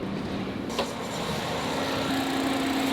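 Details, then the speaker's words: 2009 Ford Fiesta Titanium engine idling with a loud steady AC fan rush, a click from the compressor clutch, then a firm steady hum; AC working normally. "So guys, I don't know if you can hear that, but the fan for the AC is in full swing. So that tells me that the AC is working. On these cars, it can sense if there's no AC gas and it will shut it down. And I can hear the clicking from the clutch on the AC pump."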